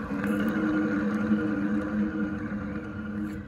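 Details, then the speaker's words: Failed motor removed from a Renault Zoe 40 kWh (5AQ), spun by hand. It gives a rough, gravelly dry-bearing hum that fades as it slows, from worn motor bearings; the motor was replaced with a rebuilt unit. "yeah you can really hear that grally dry bearing noise"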